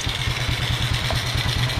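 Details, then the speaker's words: 2009 Kawasaki Fury 125 single-cylinder air-cooled four-stroke, after replacing faulty 7-year-old carburetor with new one: starts on one click, steady even putt about nine beats a second, no misses or hunting; clean healthy idle. "Uy! Ayan no. One click. Ayan. One click lang mga idol."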